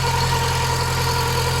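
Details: Mk2 Golf 1.6 petrol, automatic, Weber carburettor, after choke cable adjustment, with an oil leak at the back of the rocker cover gasket: short stretch of steady, even idle with a constant low hum, no hunting or stumbling; normal idle.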